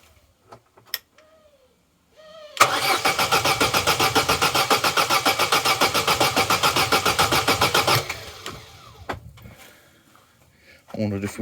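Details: Vauxhall Corsa B, owned over 10 years, sat neglected on a driveway 4-5 years; after air filter and air box work, steady starter cranking for about five seconds, near three and a half turns a second, no firing, then stops dead; cranks but won't start, spark next to check.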